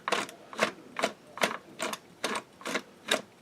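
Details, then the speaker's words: Singer 620 Touch & Sew main drive shaft after gear replacement, turned by hand: light crisp clicks about every half second, no dragging or hesitation; gearing spins freely without binding, mesh set correctly. "And then you can tell if you got it right, if you're able to freely spin it like I am and it doesn't bind up, which it's"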